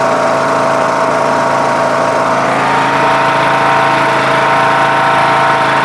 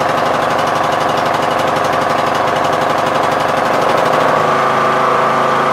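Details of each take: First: MTD Yard Machines lawn tractor with a 20 HP Briggs Intek engine and CVT, after the carburetor was replaced (earlier carbs surged) and the air adjusted to balance the mixture: steady, even hum with no hunting or surging. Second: MTD Yard Machines lawn tractor, 20 HP Briggs Intek, Nikki carb not yet cleaned, bad old gas drained, on choke; mixture screw broken so it can't be adjusted. Engine beats unevenly then changes note: surging.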